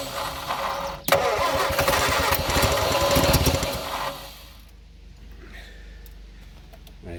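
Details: Abandoned blue Morris Minor, revival attempt, running on fuel left in carburettor, no throttle linkage: starter cranks at about three and a half beats a second with a few ragged catches, then drops away; fires only intermittently.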